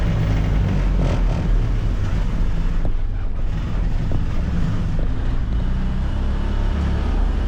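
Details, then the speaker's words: 2022 Can-Am Defender HD9 DPS cab after fix, driving about 50–70 km/h: steady low engine and road drone with no buzzing rattle; a faint tingy sound remains. The rattle came from the loose factory heater core, fixed with foam weather stripping. "Okay. So, that that was a lot better. I heard this little tingy sound after, but I never noticed that before. Probably cuz that was rattling too much."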